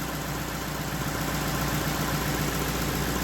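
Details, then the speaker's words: Lexus LS460 V8 in for misfire, after repair: steady, even low idle, smooth hum with no stumble or miss; sounds great, though check-engine light remains for camshaft actuator circuit fault. "Let's see what happens. Oh yeah. That sounds amazing."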